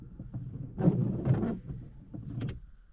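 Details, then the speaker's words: Small right-hand windshield wiper blade on wet glass in rain, making a rough, stuttering rubbing sound and jumping instead of a smooth swish; the larger blade is normal. Wiper blade chatter. "A minha palheta, ela tá trepidando no vidro. Eu vou ligar o carro aqui, vocês vão ver o quanto ela vai pular. Vou ligar lá aqui. Ó. Pode ver que ela tá até fazendo barulho, ó."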